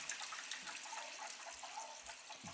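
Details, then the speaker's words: Gas boiler hydronic heating zone after leaking circulator, refilling with water throttled on and off to avoid blowing the relief valve: thin hissing rush of water with sputtering air bursts as air is purged from the loop. "I can feel I can feel the air coming I feel the air coming now got to get that air out or it's going to be a problem"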